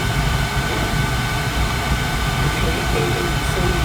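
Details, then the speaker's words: Carlin gas conversion burner on a boiler that had been tripping safety reset, reported sparks; steady even roar with low rumble, no surging, popping or cutting out; running smooth now, flame sensor possibly dirty, gas valve or motor suspected. "but right now it's it's running smooth okay you hear it"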